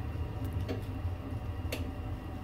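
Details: Ideal Icos HE15 boiler with burner light flashing: low fan hum with a few sharp spark ticks just before the burner catches, later going off. Ignition ticking before burner lights, cause not pinned down.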